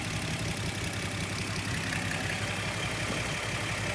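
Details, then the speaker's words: 1972 Datsun Cedric engine idling while warming up, before a compression check: steady, even idle with a smooth low hum and no rattles or knocks; normal idle. "so far so good engine is quiet nothing noisy things like rattles or anything like this sounds good"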